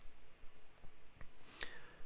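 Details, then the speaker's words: VEVOR Chinese diesel heater running: inline pulse fuel pump gives soft regular clicks about twice a second, audible even at low power; normal fuel pump clicking. "Um at um instead of having a centrifugal or, you know, like a spinning pump, um it has an inline pump that makes a clicking noise and it pulses."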